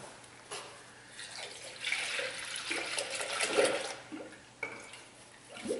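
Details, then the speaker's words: 2004 Toyota RAV4 2AZ-FE after stripped head bolt Time-Sert repair, filling coolant through funnel: irregular gurgles and glugs as air bubbles out; burping means no big leak. Normal coolant burping while filling. "you always want to hear it burping like that because if it just dumps straight in you got to leak somewhere"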